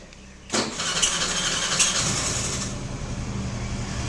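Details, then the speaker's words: Suzuki Address scooter started after installing an aftermarket alarm wired to the ignition and coil: quiet until the starter catches at half a second, then a steady, even idle with no misses or knocks; normal start. "oke Guys nah ini kita tester ya kita starter guys Wih nyala kan starternya kita matiin guys ya"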